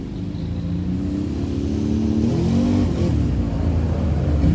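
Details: Rebuilt 2007 Can-Am Outlander 500 riding after slit fuel line replaced: pulls cleanly, smooth note rising and falling with throttle, no knocks or misfires; slight exhaust smoke, clutch a little clanky, maybe needs belt; normal running.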